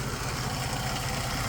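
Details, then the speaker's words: 2004 Jeep Liberty that had just been delivered on a trailer, idling after it started right up. Smooth, even low idle with a steady rumble and no knocks, ticks or misses: the engine sounds healthy. "motor seems like it sounds pretty good it started right up it just got delivered in on a trailer"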